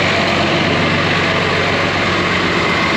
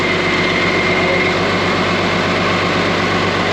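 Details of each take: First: Case 5230 tractor diesel running but won't drive: steady idle under load with no drive take-up, transmission not engaging because a wire came off the cylinder relay; wire being jumped to test. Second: Case 5230 tractor after jumping the unhooked cylinder relay wire: steady diesel drone, drive engaging and moving with no slipping or grinding; transmission now normal.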